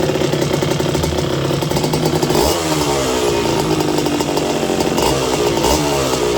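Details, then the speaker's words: Restored 1982 Suzuki RM125 two-stroke during warm-up heat soak on first test: crisp revving with sharp rise and fall and crackly exhaust, runs clean and strong; healthy engine, water issue still to check. "That engine sounds really good. There are a few little things, obviously, that you need to do to make sure it's all running fine."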